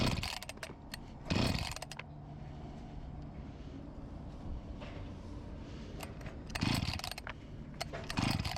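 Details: Discarded Husqvarna 254 G chainsaw after fuel line replacement, startup test: runs in uneven spurts with weak, wavering idle that keeps fading; fuel starvation, tank cap O-ring and carburetor membranes then replaced.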